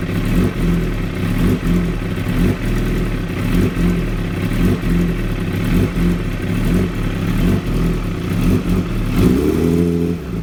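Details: 2016 Kawasaki ZX-10R: idle hunts and stumbles about every second with uneven thumps and dips, then a brief blip; very rough idle, cause unknown.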